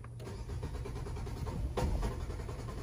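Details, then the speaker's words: 2018 Nissan Sentra 1.8, about 35,000 miles, cranking on a freshly swapped battery; starter whirs a couple of seconds, engine tries to catch once, then falls back to cranking. Crank no start; battery ruled out, cause unconfirmed. "Como que quiso arrancar. Esta vez, vamos a intentar otra vez. Está bien raro este problema, amigos."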